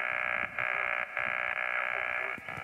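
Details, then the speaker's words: Portable solar battery radio setup, radio on a power pole connector at about 13.5–14 volts while the panel charges the home-made battery pack: steady raspy buzz with brief dropouts over the receiver, interference from the panel that stops when it is unplugged. "one problem we've got is a lot of the interference we're getting is actually being brought on by the panel I'll try and demonstrate that shortly if you can hear this noise"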